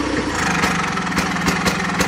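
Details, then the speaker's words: 49-year-old John Deere 318 garden tractor at shutdown: steady drone broken by sharp irregular pops as the engine stutters on instead of dying cleanly; owner suspects the battery voltage is too low. "We go shut it off. It's going to stutter on. That's cuz the battery probably is just so low."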